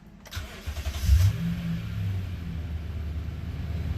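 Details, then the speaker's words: Toyota V8 after P2440 code repair, valves installed and codes cleared: short crank, catches cleanly and settles into a steady, even idle without stumbling; no check engine or traction-off light returns, code appears fixed. "nice I think it's I think it's gone so if that code was still active it would have lit the check engine light and the track off light by now"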